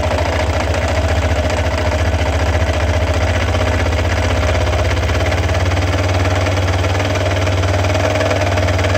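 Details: Yamaha XT 660 single at idle: uneven, stumbling thump with rough mechanical clatter, sounds like misfiring; owner suspects crankshaft or clutch bearings, not confirmed.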